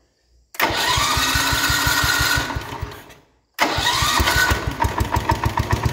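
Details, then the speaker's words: 1970 John Deere 110 hydraulic-lift patio tractor, sat for many years, on starting fluid: the small single catches quickly, runs briefly and dies, then refires and picks up revs with throttle. Tank is dirty, so fuel is still to be sorted. "on I don't believe it it even throttled when I hit the throttle what the heck"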